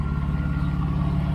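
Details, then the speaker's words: 1993 Mercedes 600SEC with straight pipes, long-sitting, just started after flat battery: loud idle rumble with steady whine; water pump pulley visibly wobbling, not running straight, about to fail, needs replacement. "oh yeah that water pump is about to fall out wow this is craziness"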